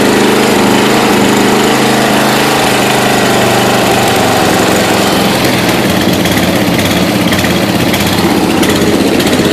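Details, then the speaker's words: 1992 Yard King lawn tractor with gear-drive transmission, first start after about seven years stored, cold snowy day, choke and wide-open-throttle start, Seafoam added; uneven, choppy chugging with a wandering beat, rough running; owner suspects carburetor out of tune. "I mean it's been sitting for seven years so I'm sure the carburetors been you know out of tune so I'm gonna have to do that anyway"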